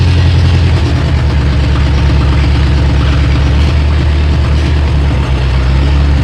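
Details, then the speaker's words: Bobcat 743 diesel skid steer, about 30 years old, after fuel lines replaced and injectors bled: deep idle with an uneven, lumpy beat that steadies partway through; misfire from air in the injector lines, cleared once purged. "It doesn't sound like it's running on all the cylinders. Oh, now it is. Yeah. Yeah. That was it. Finally got all the air out of the system."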